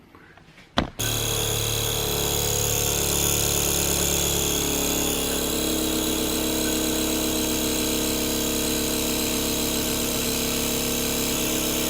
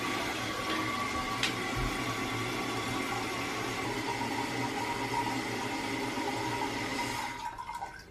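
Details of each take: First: In this video, I demonstrate how to stop the annoying vibrating noise after you flush your toilet. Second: Toilet after its fill valve was replaced to cure vibration and loud noise after flushing: a steady rush of water refilling the tank with no buzzing, humming or shudder. The new fill valve is working quietly and normally.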